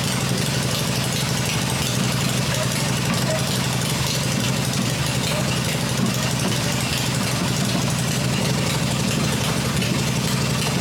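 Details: Freshly rebuilt black Harley Evo V-twin motor idling on an engine test stand with open exhaust: strong, even low throb with no knocks or ticks; running the way it should.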